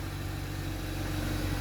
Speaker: Sounds really quiet to me. That's how a Sigma should sound. No blows, no nothing. That sounds really sweet now.